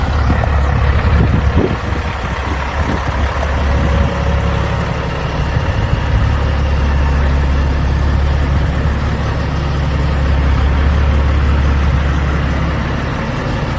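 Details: 2004 Kenworth W900L project truck with CAT C-15 diesel, just started before being brought into the shop: deep, steady idle with even low rumble, no knocks or misses; running just as it should, normal idle.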